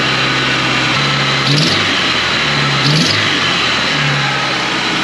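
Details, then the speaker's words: Toyota 4Runner with new exhaust and fabricated flex joint, also idling high and running rich (owner suspects a vacuum leak): rapid puffing tick over the idle with a hissy edge that swells with small revs; owner suspects an unsealed exhaust joint leaking. "feel like there's an exhaust leak again all right I'm going to uh shut this down and I got to take that stupid guard back off it sounds like something's not sealed"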